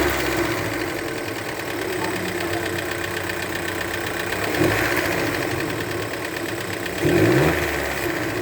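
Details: Fiat Pulse 1.0 turbo three-cylinder T200 engine at idle: slightly uneven with a light tapping underneath and two brief pitch rises; abnormal engine noise, cause unclear.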